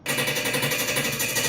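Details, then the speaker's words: Wonder Oven Pro fan spun by hand with the sheet metal panel removed: fast, even metallic scraping ticks about twelve per second, the fan rubbing its metal housing; likely fixed by adding washers on the fan assembly's silicone washers. "If you reach inside, you can spin the fan and confirm the metal-on-metal sound is present when the fan is manually spun."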